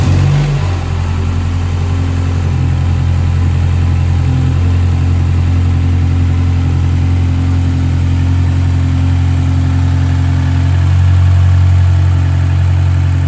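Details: BMW N13 engine after timing chain replacement: steady even hum with no ticking or rattle from the front timing area, settling into a smooth idle.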